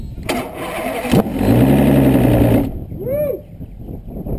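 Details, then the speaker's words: 2004 Evinrude E200 outboard, 140 hours, which cranked but wouldn't start, after installing a recommended new solenoid: short crank, catches at once and holds a steady even idle; fixed. "y arrancó nuevamente. Abrimos switch, acaba la secuencia. Perfecto, está solucionado, arreglado y ya quedó."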